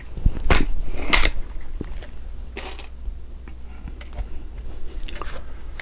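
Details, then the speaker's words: Beeman R9 .22 spring air rifle after repair, new barrel and tune, firing 14.3-grain domed pellets into towel-stuffed pellet trap: short clean thump, quick decay, no wood knock or piston slap; smooth shot cycle. "this is what a smooth tune gun is supposed to sound like not have wood knock and piston slap"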